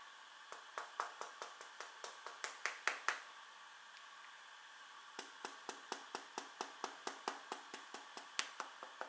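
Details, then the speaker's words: Brand-new, never-dropped Huawei P8 Lite tapped by finger: sharp slightly buzzy clicks, two to three per second, something loose rattling inside; owner suspects the camera lens or an unfixed internal antenna, unconfirmed. "hier gibt es folgende sache das gerät rappelt ich zeig mal wenn man dagegen klopft ich hoffe ihr hört es"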